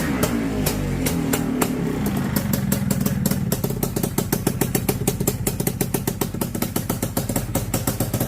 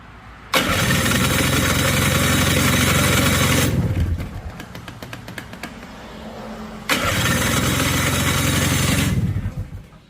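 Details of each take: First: Honda FL250, ice cold start with fresh fuel and battery: fires and settles into an even, steady idle of quick regular beats with no misses or knocks; normal cold start idle, running fantastic. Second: Honda FL250, ice cold, not previously started, fresh fuel and battery hooked up: steady starter cranking at about four turns a second, twice, with no firing because the ignition switch was left off.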